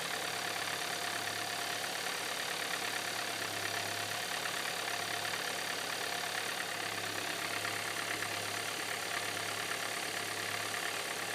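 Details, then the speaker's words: 2013 Hyundai Santa Fe petrol engine idling after start: harsh clattery diesel-like knock that grows louder, and is louder still when colder. "And the knocking is starting. It's going to get louder. And there it goes. And, yep, it's getting louder."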